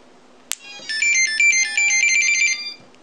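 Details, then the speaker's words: Pixhack 2.8.4 drone with TREX 60A BLHeli32 ESCs and JMT 360KV motors, which only spin at 1100 PWM at full throttle. On plugging in there is a sharp click, then about two seconds of bright stepped beeps: normal power-up tones. "sounds good and normal right so everything sounds good and normal"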